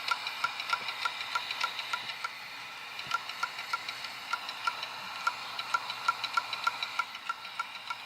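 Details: Dell Inspiron 530s desktop hard disk drive making sharp, light repeating clicks about three times a second, some evenly spaced, some bunched, and stuck at the boot screen; owner suspects platter damage, cause unconfirmed.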